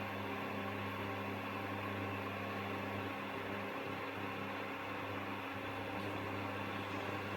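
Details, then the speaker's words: Aldi Ambiano single induction hob: its cooling fan runs flat out at one fixed, non-variable speed, giving a constant loud roar with a steady hum underneath, ridiculously noisy, with some electrical buzzing; owner plans to return it. "the fan's just going to run at that speed the whole time. It's not going to it's not going to be like a variable fan. It's just going flat out. So, um I don't know if you can hear it very well on the video, but it's just ridiculously noisy."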